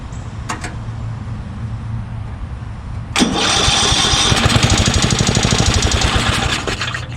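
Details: Murray 10/30 riding mower after revival, carburetor idle circuit working and no longer surging, battery charging to 12.9 V, tachometer set up: cranks briefly, catches and settles into a steady even idle without hunting.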